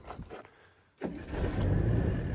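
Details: 1991 Ford EB Falcon parked 15 years, started after fuel poured down the throttle body: a second of quiet, a short crank, then it catches and settles into a deep, steady rumble with no misses.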